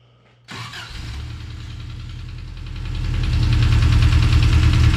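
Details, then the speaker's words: Engine in the Subaru Brat restarted after refitting oil filter and refilling oil; catches right away to a fast even idle, exhaust sounds good, no knock; normal start and idle. "That sounds pretty good. Not perfect, but. But listen to this thing. We never had one that sounded like that."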